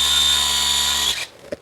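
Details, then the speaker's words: 12V DC mini tyre air compressor, after wiring repair and greasing/oiling the pump, run on battery power for a pressure recheck; steady high-pitched motor hum and even pumping buzz, no knocking, stops cleanly; building pressure, normal compressor running. "Pressure બને છે, pressure આવે છે."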